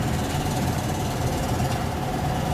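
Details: Home central heat/AC blower motor after being lubricated because it was probably stuck, humming and buzzing: even, steady low drone with no buzzing, stalling or catching; the motor now spins freely and runs normally.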